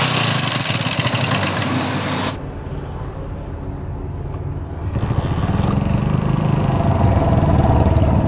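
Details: Old Hero Honda Splendor used on farms and long unserviced, idling: a quick, steady clatter from the top end; worn timing chain slapping a damaged guide.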